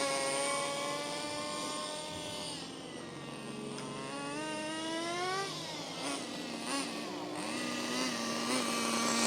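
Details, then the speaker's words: HPI Racing MT2 4WD nitro RC truck, cordless-drill started after the rotary starter burnt out: high, wandering idle rising and sagging; idling better but still high, owner may replace the throttle linkage. "Well, it's definitely idling a bit better. It's still idling quite high, but I'm happy with it."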